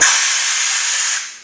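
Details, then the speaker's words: Powerhouse oil-less 1 hp air compressor, shut off at 120 psi, outlet valve opened: sharp high hiss holds about a second then fades as stored air bleeds off; normal compressed air release. "at 120 psi now automatically shut off to use the compressed air we just have to turn on the valve"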